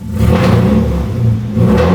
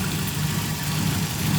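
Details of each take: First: Nissan 240SX, very loud exhaust, slow to warm up, smoky, PCV/catch can pressurized at idle, possibly old fuel: deep exhaust stumbles intermittently when throttle opens; intermittent misfire under throttle. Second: Nissan 240SX petrol engine idling with a steady, even low hum after an ECU issue was found; cylinder 4 now firing, sounds normal though a slight misfire remains.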